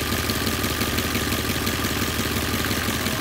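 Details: Petrol engine at about 800 rpm: a light, steady knock about three a second only at certain revs; the owner suspects the timing chain, unconfirmed.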